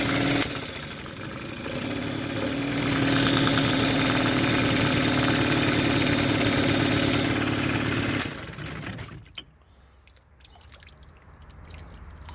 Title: Mercury 15 hp outboard backfiring/misfiring